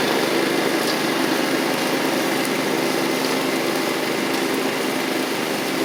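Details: Toro Proline walk-behind mower, Kohler Command engine, after carburetor, spark plug and blade work: steady high-pitched buzz at even speed, no misses or surging; owner notes it runs a little rich at idle.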